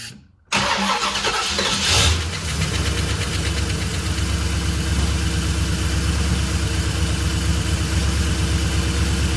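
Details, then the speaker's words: 1969 Buick GS400 V8 with Holley Sniper II EFI fed by stock fuel pump into an Edelbrock fuel sump: brief crank, catches cleanly, steady even idle with no knocks or misses; normal start and idle. "We'll check fuel pressure um and just let you hear this thing run."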